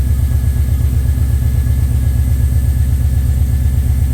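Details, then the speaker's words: HQ Monaro first start after rebuild, coolant filled and trans cooler lines hooked up, idling before warm-up: a steady, even low rumble with regular pulses and no knocks or misses, a smooth healthy idle. "that's uh sitting there running there idling pretty sweet I'm pretty happy with that"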